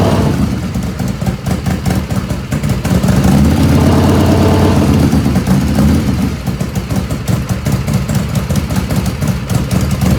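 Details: 1985 Harley FXRS Evo cold idle without choke, not up to operating temperature: lumpy, uneven chuffing V-twin idle, black smoke visible; carbs running too rich, needing dialing in.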